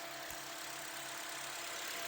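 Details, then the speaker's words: Toyota Voxy with the 3ZR 2.0 engine, previously noisy from the alternator's variable pulley. After a new alternator and auxiliary belt, the mic near the engine picks up a quiet, even idle hum with no whine, squeal or knock. "e agora vou mostrar para vocês ela sem aquele barulho ó vou pegar um microfone aqui ó"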